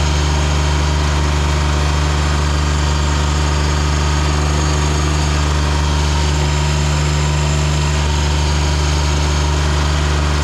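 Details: Ransomes Jaguar 4000 diesel commercial mower, 1980s-90s, sat 20-25 years in junkyard, hydraulics rebuilt with new O-rings and seals: steady deep even diesel drone, no knocks or misses; engine healthy and settled.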